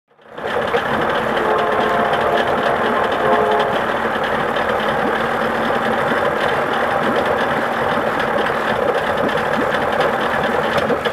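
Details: 1979 Johnson 55 two-cylinder two-stroke outboard with a buzzy, stumbling, uneven idle that never settles into a clean beat: rough idle, cause unknown.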